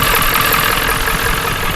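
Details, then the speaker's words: 7.3 diesel farm truck, long-sitting, started in winter after a little throttle: steady, slightly uneven clatter settling to idle without stumbling; oil pressure present, no charging system; fair, running idle. "Boy, she's alive. She's alive. Thank God. I don't want to stand out here all day. Listen to that. You're even kind of idles."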